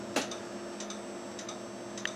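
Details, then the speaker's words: Older Dell Vostro PC powering on to setup with failing hard drive: sharp paired clicks roughly every half second over steady computer hum. "You can hear the hard drive clicking as it fails."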